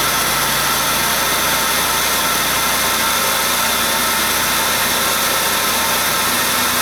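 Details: Buick LeSabre 3.8 L GM 3800 after replacing leaking coolant elbows/tensioner housing, water pump and thermostat; steady, even idle with no knocks, ticks or misses under a strong hiss, running smoothly. Normal idle.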